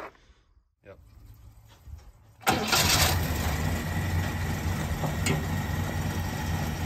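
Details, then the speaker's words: Holden HJ wagon V8 after sitting 8 years in a shed: cranks and catches quickly, then settles into a steady, even idle; starts and runs fine. "had a bit of a play around with it this morning and she's uh banging like a champ fix that linkage up i didn't have to touch the timing"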